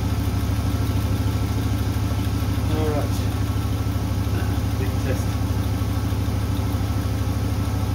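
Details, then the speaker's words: Freshly rebuilt Holden 4.2L 253 V8 on a cradle, first start after the rebuild, timing set at 6°: even cranking rhythm with no firing at all; no fuel reaching the carburettor. "sounds like I want the fire but um sounds like I don't have any fuel up here that pump should have suck it up there really quickly I have no fuel down there"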